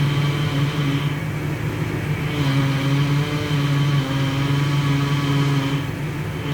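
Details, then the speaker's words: NC Fairlane / EB Falcon idling while steering is turned to bleed freshly topped-up power steering fluid: steady low whir with wavering higher whine rising and falling; plenty of air still trapped in the fluid. "Okay. You can hear that, there's still plenty of air in here."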